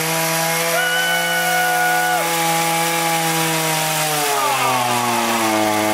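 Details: Echo HC-1600 two-stroke hedge trimmer, revived after sitting a long time: high buzzing note holds, then sags and wavers in pitch, running lean and unsettled. High-speed carb mixture is too lean and is opened about half a turn; idle may need resetting.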